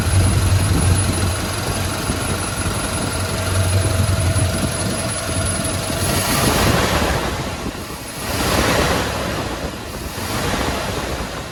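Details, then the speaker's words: Freshly rebuilt motor in a K20 squarebody, Sniper fuel injection still learning, engine warm: revs up in a couple of blips, then sags unevenly toward idle and nearly stalls off throttle; cause unconfirmed. "when i was hitting the idle or hitting the throttle there it kind of dies you come off of it quick"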